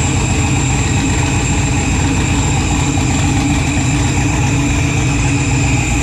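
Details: Freshly built 408 stroker LS in an S10, first start in park on a new tune, oil pressure good: deep V8 idles low and heavy with a steady drone and no knocks; rpm below normal, air-fuel ratio erratic.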